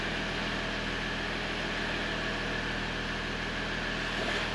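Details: 2015 Jeep Grand Cherokee Limited EcoDiesel, 130,000 miles, idling after oil change: steady, even diesel hum with no knocks, misses or hunting; healthy engine settled at idle.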